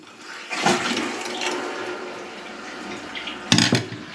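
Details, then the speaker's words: Toilet cistern refilling after a noisy ball valve, plagued by high water pressure, was replaced with a bottom-fill valve. Soft, steady rush of water with no hammering or squeal: much quieter refill. "So I can tell straight away that it's so much more quieter, and as you can see, these ones, if you pick it up, they fill from the bottom. So yeah, I can tell straight away that's so much more quiet."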